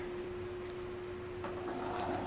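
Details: Bag-hauling golf cart converted from lead-acid to 4s15p 18650 lithium battery, run via remote: steady mid-pitched electric whine with some hum and clicks; twin drive motors spinning freely, normal.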